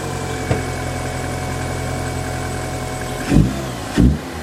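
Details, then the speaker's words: Mini Cooper after coolant system repair, heard from behind the car: steady idle then two quick clean throttle blips rising and falling smoothly; revs freely, sounds healthy. "we'll give it a couple revs let you hear it I mean hits no 4g63 but it's it's my mini right"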